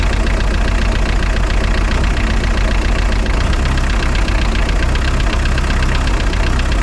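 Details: Spryte snowcat "Rusty" turbodiesel after new OEM Zexel fuel injectors fitted and primed: deep steady idle with even rapid beat, no misses or rough stumbles; idles noticeably smoother, rock solid after acceleration.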